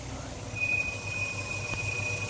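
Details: Acura engine idling with a steady high-pitched squeal, first thought to be the alternator; found to be a failing water pump bearing, pump installed 53k earlier.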